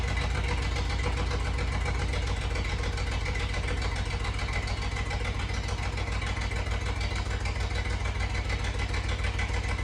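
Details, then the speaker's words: 1988 Jeep Comanche MJ 4x4, sitting for years, first start after tank cleaning, new fuel pump and lines, starting fluid sprayed into the intake: low, lumpy idle, uneven beat about three a second with stumbles; owner suspects it is down a cylinder. "Oh my god, it fired up. And I got to be honest, when it first did, I really didn't like the way it sounded. It almost sounded like it was down a cylinder or something."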